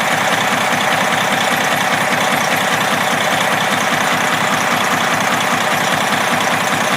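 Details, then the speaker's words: Detroit 60 series 12.7L diesel in a parked truck, warm after about 45 minutes running with good oil pressure, hood open: steady idle with a regular knock about a hundred a minute over the clatter; owner suspects broken piston skirt, wrist pin or rod bearing, unconfirmed. "My thought is it could be a broken piston skirt. This may have it, I assume it's a two-piece piston, but I'm not sure. It could be a broken skirt in the piston, could be a wrist pin problem, could be I hate to say a rod bearing"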